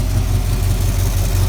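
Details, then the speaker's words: Square-body truck with a 350 V8 at idle, exhaust leak on one side. A steady low V8 idle carries a rapid puffing tick on each firing pulse, typical of exhaust leaking. "You can hear the exhaust leak on this side."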